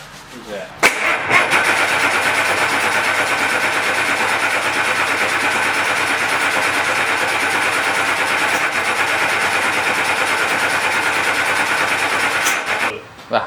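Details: Bus diesel engine swapped into an International/Dresser dozer, first start attempt with the dozer injection pump and bus injectors: about eleven seconds of continuous, even cranking with no firing or pickup. Cranks but won't start.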